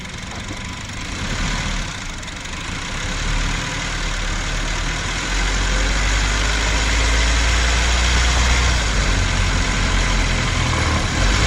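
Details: Honda Civic hatchback (mk9) petrol engine climbing uphill under load, microphone near the engine (not in cabin): fast, uneven rattle over low drone.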